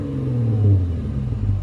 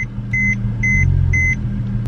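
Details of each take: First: Mercedes-Benz C300 W204 idling after new spark plugs to fix rough idle and a blinking check engine light, mufflers removed: a deep, even exhaust rumble with a steady beat and no stumble or shake, so a normal idle. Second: Mercedes-Benz C300 W204 with a misfire after a spark plug change: uneven, choppy rumble with a faint rattle over four quick warning chimes; check engine light flashing, car feels slow and won't rev out.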